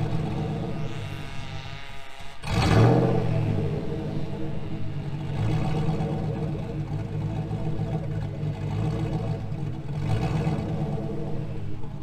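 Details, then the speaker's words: 2000 GMC Sierra 5.3 V8, Texas Speed Stage 3 cam (216/220, 112 LSA) on stock tune, fully warm past about 175-180°F; loud blip then later rev attempts swell slightly and sag back to lumpy idle. "It was revving just fine up to about 175, 180 degrees once it was really up to temperature. And then once it got really up to temperature and you would rev it, it would die back down."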